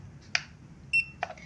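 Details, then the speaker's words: Smartcom 80mm Bluetooth label printer, cover opened while powered on to change paper: click, then one short high beep and another click; paper-cover-open error alert. "mau ganti kertas nanti error keluar suaranya gitu loh"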